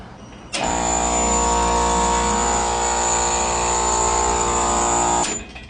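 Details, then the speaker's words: Air conditioning unit scroll compressor after replacement, first start with new fan motor fitted. Loud, harsh, buzzy drone with high whistle, cut off after seconds. Running backwards, fixed by swapping two wires. Compressor running backwards. "She's running backwards. So, we'll just switch any of those two."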